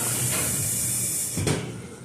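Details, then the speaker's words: Amana front-load washer in diagnostic mode, cold water fill test through the detergent dispenser: steady hiss of water rushing in, then a soft click as the valve shuts; normal fill. "Yep, it's gonna drain all the water out, and it's gonna fill the which is your detergent. I think it's a hot water. Let's see. No, that's cold water."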